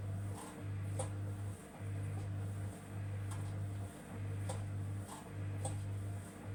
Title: Samsung EcoBubble making weird noises @Chris Conroy @WashingLad2009